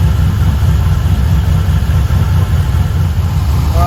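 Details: LS1 V8 one-tonner idling on first startup after fitting an upgraded Aeroflow 78/75 Gen 2 turbo and new cam: a deep, steady rumble with no ticking or puffing from the exhaust side. Turbo spinning well, no exhaust leaks, normal idle.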